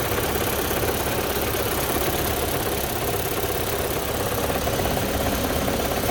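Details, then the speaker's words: Audi 1.8 AEB engine at idle after repair work: loud steady idle with a faint light tapping about twice a second, better than before; owner hopes it isn't a damaged lifter, cause unconfirmed. "It sounds way better than it did before, but I can still faintly hear it, unless, hopefully it's not just like a damaged lifter or something"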